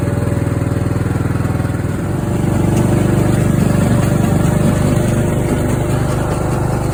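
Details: Craftsman riding mower engine that fired but would not run, after a new fuel shutoff solenoid, fuel filter, spark plug and fuel treatment (owner suspected water in the fuel): small single settles from a lumpy start into a steady, even, healthy run.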